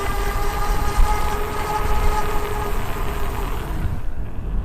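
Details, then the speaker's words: Super73-Z1 e-bike after a hub motor and freewheel fix: a steady even hum with a smooth whine under a low rumble. No clunking or squealing remains; the hub motor runs normally. "all i hear now is just the home motor no clunking no squealing ah that's awesome"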